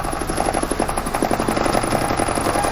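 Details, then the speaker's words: Nissan Grand Livina vibrating at high speed, under braking and downhill: cardboard held to the spinning wheel scrapes in uneven pulses each turn; bent, out-of-round rim. Fix: balancing, otherwise replace rim and tyre. "Itu ya, dia nyerempetnya nggak sama. Harusnya di suaranya sama ya? Dia paling nggak mendekati mirip. Kalau ini kan kerasa banget ya."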